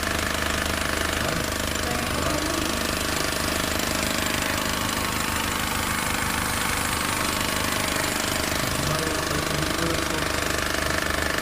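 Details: Honda New Civic engine: fast, fairly steady tapping about three or four a second over the running engine; clear knock, cause unknown.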